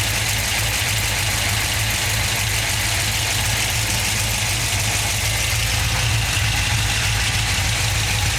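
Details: Chevrolet LS2 V8 at steady idle, a faint light tick riding over the exhaust rumble; engine ticking at idle, source unknown.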